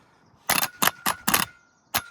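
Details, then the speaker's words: Kia Sorento starter motor, removed and jumped from a battery: sharp quick clicks with a faint buzz but no spin-up; the starter engages but won't turn, and an internal short is suspected. "ion, I can hear it going click, click, click, but I can't hear it spinning up."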